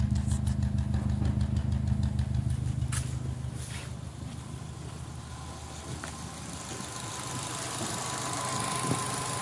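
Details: Turbo petrol engine idling lumpy as #3 misfires and runs very rich after losing power on an overtake; #3 compression 3.2 bar vs 12 bar others, still boosts, exhaust smokes and smells of oil, no head gasket bubbling.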